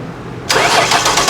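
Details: 2006 Ford Taurus with replacement salvage-yard engine, spark, fuel pump and injector pulse confirmed: starter cranks at an even rhythm but never catches; no-start caused by fuel injectors stuck closed.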